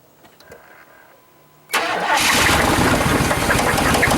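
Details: Chevy Suburban with knock and squeak, restarted after Seafoam treatment; fast even ticking about three per second over idle; valvetrain tap.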